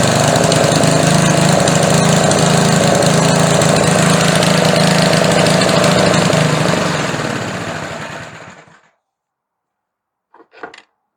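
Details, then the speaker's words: Older small engine with a McLane carburetor, after carb diaphragm replacement, reassembled with its air filter. Runs steadily at high speed, then shuts off and winds down: carburetor slightly out of adjustment, needs tuning with the engine running. "Okay she sounds pretty close but needs a little bit more adjustment."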